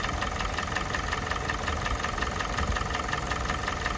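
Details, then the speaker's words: Kia Sportage 4G 2017, G4NA engine, 265,500 km, idle at nearly full operating temperature: a light steady metallic knock of about three a second. It grows when revved. Owner suspects phasers or valves; cause unconfirmed. "Ну вот сейчас двигатель вышел уже на рабочую температуру практически, антифриз поднялся на все уровень. Вот такая вот работа."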